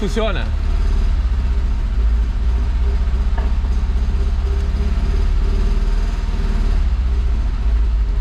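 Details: Fiat Brava parked 23 years, now running on tank fuel through the pump: lumpy, uneven idle with a pulsing stumble instead of a smooth hum, struggling to hold idle; two cylinders misfiring from waxed, stuck injectors.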